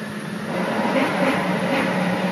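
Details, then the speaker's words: Nissan 200SX S14 with the engine running: steady thin whirring from the clutch while the pedal is pressed. It stops when the pedal is released, and a noise also occurs when trying to engage reverse. "Este es el ruido que hace el embrague en cuanto piso el"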